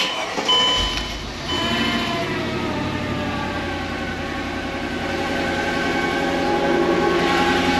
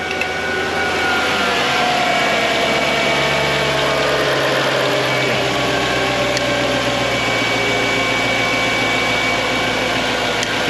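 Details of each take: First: Mercedes E55 AMG W211, M113K supercharged V8 at 210,000 km, first start after new Bosch injectors, MAP sensor and thermostat, with no coolant in the system: uneven, lumpy idle; missing on one cylinder, cause not yet found. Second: Mercedes E55 AMG W211 M113K supercharged V8, 210,000 km, first start after new Bosch injectors, MAP sensor, thermostat and vacuum lines, no coolant yet: even steady idle drone; sounds good, though a miss on one cylinder was suspected.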